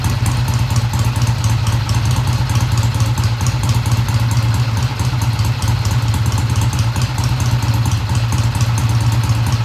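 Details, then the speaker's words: 1971 Triumph T120 parallel twin, first cold start after cleaning pilot jets: steady, low even idle with light valvetrain clatter on top, no misses or knocks; idle fast at first then kicked down, healthy. "Sounds good to me. I don't have the tach hooked up, I'll do that. The idle sounded fast at first, but then it kicked down."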